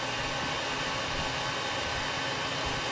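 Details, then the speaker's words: 1934 Bell & Howell Filmo Model 57 projector, an auction find, projecting old film: a loud, steady, even whirring clatter throughout. It is running normally, just very loud. "alright folks you can hear the camper going it's very loud"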